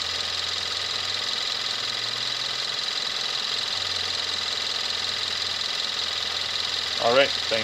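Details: 2017 Kia Rio 1.6L inline-4 GDI, about 10,000 miles, just started and settling: steady even idle with light fast injector ticking, no knock or misfire; normal healthy direct-injection engine idle.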